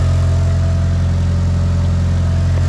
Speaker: It's quiet. I was expecting it to be tappity. Awesome.